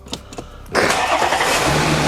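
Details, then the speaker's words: Audi Q5 3.0 TFSI supercharged, after welding a snapped catalytic converter to cure an exhaust leak and fitting a K&N air filter: short crank, then a clean catch into a smooth, quiet, even idle with no exhaust rasp; normal. "Oh, it's so quiet. That's the way it should sound."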